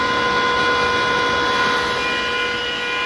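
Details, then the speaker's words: Glowforge laser cutter with all built-in fans running, inline filter off: constant airy jet-like rush with steady high whistling tones, no rubbing or rattle, intake fan audible; normal fan running. "Again, this is not on, that's not on. You can hear that jet engine."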